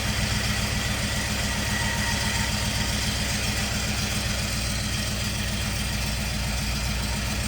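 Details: 1951 Chevy with LS swap at first start-up, running on only four cylinders because one bank's injectors aren't firing; the injector harness was later swapped side to side. Lumpy, chuffing idle near four pulses a second. Misfire on one bank.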